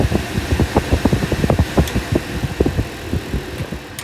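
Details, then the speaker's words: 1964 Ford Country Squire after replacing underdash HVAC fan switch and rusted connector: blower rush with uneven throbbing pulses as A/C compressor engages, no grinding or squeal — normal compressor engagement. "It works. And the compressor engages, you can hear it."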